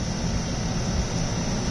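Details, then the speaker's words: Used Toshiba 14,000 BTU inverter portable air conditioner with heat, opened up and running: steady airy drone and low hum with faint whine; owner thinks a bent part at the back vibrates against something, then repositions it and adds sound damping. "so the vibration is hitting something so what I did was moved it around a little pushed it around"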